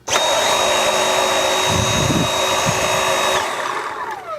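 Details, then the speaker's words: Dyson V7 cordless vacuum after 4 years of ownership, running in normal mode and sounding the same as when new: steady, even high whine at constant pitch with no rattle or surging, then a smooth spin-down; healthy motor. "Now, this vacuum has been performing really well under both modes, under normal and max mode, and it also sounds the same as it was when I first got it 4 years ago. As you can hear, this is in normal mode."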